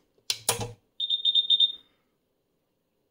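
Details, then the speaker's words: Karl Storz SCB thermoflator 26432020 (2006) powered up on the bench, drawing 180 W heating incoming CO2: clicking, then rapid high beeps about four per second; low CO2 supply alarm. "that sound this clickity clackety sound was just absolutely scaring he's using 180 watts and that is of course because it's trying to heat up the incoming CO2 and it's complaining we got low level of CO2"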